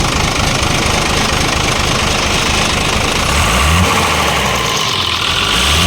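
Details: Isuzu 6BD1 diesel idling with deep repeating knock in its clatter; worn copper connecting rod bearings found in oil pan.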